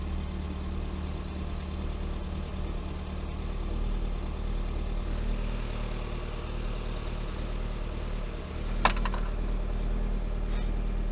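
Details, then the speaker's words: Lada Granta 126 engine, first start after a full rebuild (bored block, 82.5 oversize pistons, new bearings, timing kit, valves, spark plugs): low, heavy idle with a dull, uneven pulse, labouring as if working hard to keep running. "Все, первый запуск. Ух ты, как тяжело-то."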